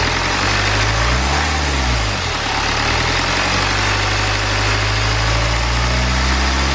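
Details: BMW N47 diesel engine, first start after timing chain replacement and reinstallation; earlier no-start was a flat battery. Steady, even idle with low smooth beat, no knocks, ticks or misses; normal healthy idle.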